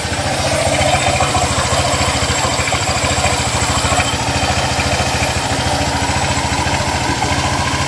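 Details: Honda Click 150i scooter after repair of a no-start fault: even putter of about three beats a second holds steady; starts and idles cleanly.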